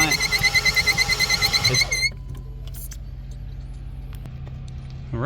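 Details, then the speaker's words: 2018 Ford Fusion, engine warranty inspection: while cranking, the engine spins easily as if low on compression, with a high chirping squeak pulsing about three times a second at the front of the engine. "crank it for me please is spinning like it has low compression and there's a squeaking noise in the"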